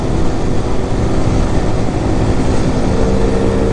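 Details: Hellcat Raptor 125cc bike after replacing a snapped loose engine bolt that caused bad vibration when revving: strong, even engine drone at constant speed with no shaking or rattle; normal running after the fix.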